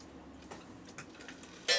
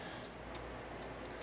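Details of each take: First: Cuckoo clock after cleaning and oiling, which had stopped after a few minutes of running: light, even ticks continue steadily with a short chime-like ring; the movement runs normally. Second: Cuckoo clock before cleaning and oiling: steady light ticking at about two beats a second; it runs a couple of minutes and then stops, and the cuckoo doesn't come out fully because of goop on the bird's carriage.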